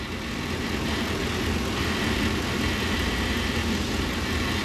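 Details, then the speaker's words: 2002 Ford E-350/E-250 van, 5.4 modular V8 (thought to be), check engine light with codes P1132/P1152: steady idle with light, uneven buzzy rattle, suspected fluttering PCV valve; vacuum leak investigated via fuel trims. "wonder what that Buzzy noise is I hear something that doesn't sound right sounds like a rattle almost like the perhaps the PCB valve which is that guy right there sounds like that might be rattling"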